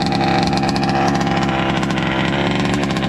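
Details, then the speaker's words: Rovan 29cc two-stroke Baja RC car, not run in 5 years and stored with fuel, second pull-start: fast, even burble at steady idle, no stumbles or hunting; fuel system holds pressure, idles cleanly. "Yeah, you got to pull it vigorously. There you go. Perfect idle."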